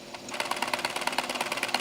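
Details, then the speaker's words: JVC camcorder tape mechanism during playback: sharp, even ticks about nine times a second from inside the mechanism; unit also gives no audio output. "now you can hear that ticking coming from the mechanism"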